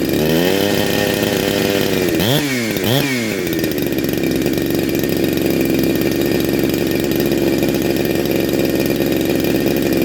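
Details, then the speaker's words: Neo-tec NH872 chainsaw (372XP clone), big bore kit, cold start on second heat cycle: two sharp throttle blips then a clean, steady high-pitched run without stumbling or surging; normal running. "all sound awesome absolutely awesome"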